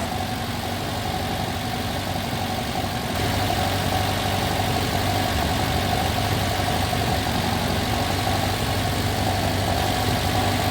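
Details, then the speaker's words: Classic Alfa Romeo GTV 2000 after head gasket replacement and carb rebuild, choke sorted, warming up to temperature to burn off oil: smooth steady note lifting slightly and holding, no knocks or misses. "Now fire it up and you can see how good it runs."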